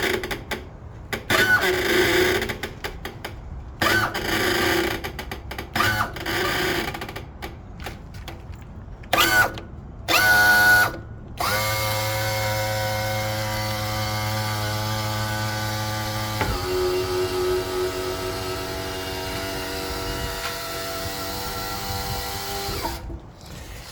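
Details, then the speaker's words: Suzuki DF250 outboard (about 2007) power trim unit lowering after fluid replaced with AW46 and bled: steady buzzy groan with squealing edge only when coming down on the trim rams; going up sounds normal, cause unknown. "anyway what we got now is this noise when the unit comes down and only when it starts to hit these Rams these uh actual tilt um no those are the those are the trim Rams"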